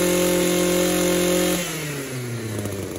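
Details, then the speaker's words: Echo two-stroke trimmer after its no-start fix: the backed-out intake manifold bolts were tightened and a new carburetor gasket fitted to stop the vacuum leak. It holds a clean steady high buzz, then drops smoothly when the throttle is released, with no hunting. "Right, we got that echo going again."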